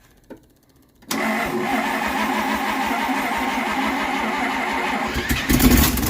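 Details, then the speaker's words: 1968 Dodge W200 Power Wagon, 383 big block V8 with 4-speed: catches after a second into a rough idle with a sharp puffing tick on each firing pulse, running better but with an exhaust leak. "that's way better except for that awesome exhaust leak I know you like those yeah"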